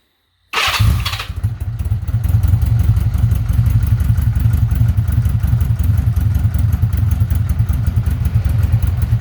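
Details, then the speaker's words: 1982 Honda Gold Wing Aspencade, first cold start after major service with timing belt, coolant leak fix and new exhaust without crossover: catches first try, settles to a deep, even, low idle; normal, much better sound. "that's a lot better she is cold so she's idle and low"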